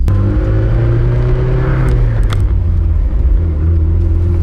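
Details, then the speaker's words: Boosted Mazda Miata 1.8 VVT engine, after fitting a used VVT gear, driven under load: pulls smooth and strong, note drops at a gear shift and climbs again, no misses or knocks; VVT syncing to target, running healthy. "Oh yeah. Seems to be working. It feels strong. Finally, VVT working."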